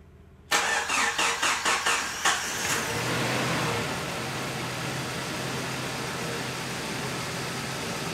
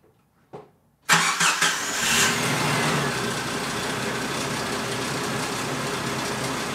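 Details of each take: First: Jeep Cherokee XJ 2.5 liter on cold start after preventative maintenance and a new harmonic balancer; short cranking, then smooth even idle with the earlier clicking/ticking noise gone, much quieter; runs healthy. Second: Jeep Cherokee XJ on its first start-up after frame repair and new parts: it cranks, catches and idles with an uneven light slapping tick. The owner thinks it comes from the bottom front of the engine.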